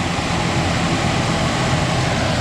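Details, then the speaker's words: 2005 Ford Ranger 2.3 after replacing valve cover and intake gaskets and new spark plug wires, first start: smooth, even idle with steady hum, no ticking, knocking or stumbling, no check engine light; normal idle. "Oh, it started. Hey, look at that, no check engine light on either."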